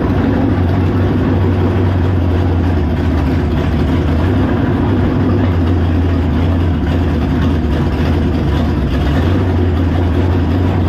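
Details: V8 on a test run: loud, deep idle with an uneven, lumpy pulse and slight speed wavering, rough running. Owner suspects the choke, carburetor, base plate or coil; cause unconfirmed. Water pumping out noted.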